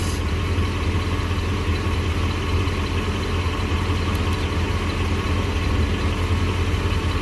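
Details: Jeep Grand Cherokee V8, single catalytic converter, idling warm after a few minutes, before any coil pulled, recorded from underneath: deep even burble, no skips; pre-cat about 230, post-cat 190; normal idle.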